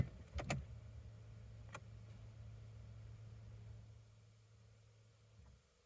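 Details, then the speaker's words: 2006 Cadillac STS Northstar V8, key turned in park with the car registering park; only a faint fuel pump hum priming, no starter engagement. No crank. "so i heard the hum which is the fuel pump but the starter did not start the vehicle so and then it resets"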